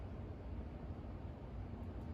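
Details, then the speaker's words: 42-inch Westinghouse Casanova Supreme ceiling fan on high speed. Soft, steady, low rushing hum, quiet, with no wobble, ticks or rubbing; healthy. "this moon is actually really good on high speed it's also really quiet too"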